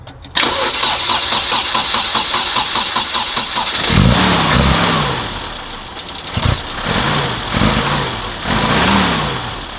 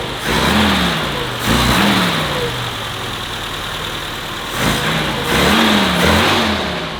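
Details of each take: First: Vintage BMW 2002, started after everything reseated with a kit to stop it leaking gasoline: engine catches after brief crank, idle surges and dips unevenly between blips; sounds healthier, apparently no fuel leak, but needs idle adjustment. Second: Vintage BMW 2002, carbureted, after fixing a misfire: clean, crisp rev blips from slightly high idle, no misfire or stumble, no longer lagging as before; running healthy.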